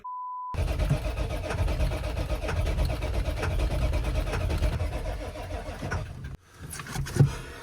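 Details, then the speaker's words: 1996 Ford F-350 crew cab 4x4 diesel, five-speed manual, long-sitting: a low, uneven idle fades and dies; owner suspected gelled fuel or a clogged filter, but it had run out of fuel; fuel starvation. "oh he didn't make it very far in the new truck it just sort of idled to a stop and died and I'm pretty sure that it's not getting any fuel"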